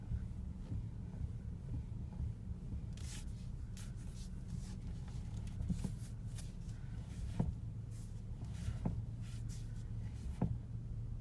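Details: BMW E60: soft, dull clunks over a low, steady rumble every time the steering wheel is turned; cause and fix unknown.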